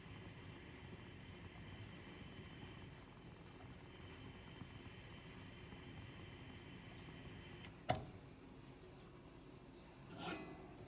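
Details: Wolf gas cooktop: a thin, very high-pitched squeal holds steady, cuts out briefly and returns; cooktop squeaking, cause unknown.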